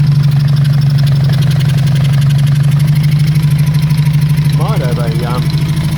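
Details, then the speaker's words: Honda CB350 Four project bike at first start-up: lumpy, loping idle with dropped pulses instead of a smooth four-cylinder beat, noisy top end; only two cylinders working well, others intermittent, pipes warmish; misfire cause unknown pending investigation. "what runs but it's only running on I think - it's got two cylinders that are working well and some of the others"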